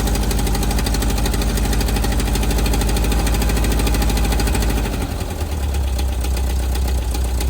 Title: Type 4 engine knock